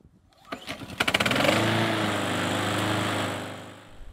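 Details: Idle-surging pressure washer or non-starting lawnmower engine after ultrasonic carburetor cleaning: short pull, then catches and runs at fairly steady speed without surging before winding down; running normally.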